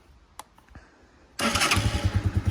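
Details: Spark 150 motorcycle after repairing the ignition kill wiring that kept it from shutting off: a few quiet clicks, then it fires at once and settles into a steady, even single-cylinder idle.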